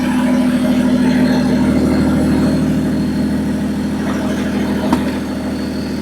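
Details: Nissan Patrol with swapped BMW M57 bi-turbo diesel and 6HP28 automatic, first start after connecting the fuel pump, no exhaust fitted: loud, open diesel idle with a steady, even beat and no misses. Engine healthy; normal idle.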